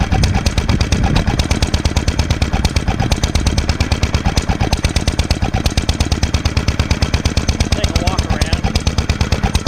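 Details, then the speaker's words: 1946 International Harvester LB single-cylinder hit-and-miss gasoline engine, freshly rebuilt, started cold, at full speed about 1,000 RPM; crisp evenly spaced exhaust pops about two per second, no misfires: normal hit-and-miss running. "it's r at low speed right now so I'm going to speed it up that's full speed about 1,000 RPM is what it's supposed to be"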